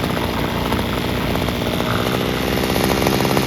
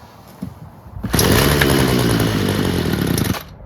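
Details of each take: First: Free Homelite string trimmer, two-stroke, fixed by adjusting the carburetor air-fuel mixture screws and idle screw (carb not cleaned): high, steady buzz at full throttle with no bogging or surging, running properly and sounding pretty good. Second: Free Homelite two-stroke string trimmer starts only on choke and stalls off choke: buzzes unevenly about two seconds, then dies. Owner suspects mixture screws or a blocked screen near the metering diaphragm.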